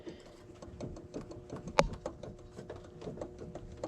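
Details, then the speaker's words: 2012 Chevy Tahoe LS 4WD, intermittent noise at startup and idle: light, quick rhythmic ticking and rattle about five a second from an idler pulley with play; worn idler pulley bearing, idler and tensioner to be replaced. "2012 Chevy Tahoe LS four-wheel drive making weird noises when it turns on and when it idles for a little while but then sometimes it'll go away and sometimes it'll just go acquire to me it sounded like a pulley then I went here and this pulley does have play"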